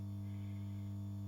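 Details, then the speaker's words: Dowell iPower 3 kW hybrid inverter on test with 4 mm cables, light load, display showing about 147–149 W: steady low electrical hum with a buzzy edge, unchanging; inverter humming more than expected, cause unclear. "coś buczy coś tu pokazuje musimy to wszystko rozkminić"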